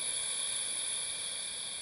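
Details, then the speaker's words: LPH 400 LVX spray gun on an 8-atmosphere hose, trigger released: faint steady hiss as if the trigger were slightly pressed; air escaping past a suspected contaminated or swollen valve seal; not confirmed. "человек по звену говорит услышал звук что травит как будто слегка нажать курок"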